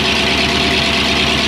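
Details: Yellow turbo truck just after first start, no coolant yet, alternator unhooked, about 1000 rpm: loud, steady, even idle with strong hiss-like top end and no knocks or misses; healthy idle.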